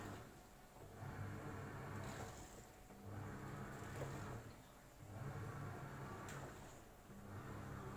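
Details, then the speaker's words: AQUA single-tub washing machine in the wash process after filling. Soft low hum with the agitator swishing and reversing about every two seconds, even and fairly quiet; normal wash with 39 minutes remaining. "Ini menurut saya juga nggak terlalu bising ya, jadi biasa aja."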